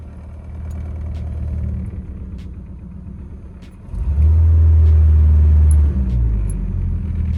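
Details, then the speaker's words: Junkyard-built car with shorter aftermarket catalytic converter pulling the back box forward onto the subframe: rough idle then deep steady drone, mirror shaking; exhaust back box vibrating against subframe. "can you hear that that vibration look at the miror"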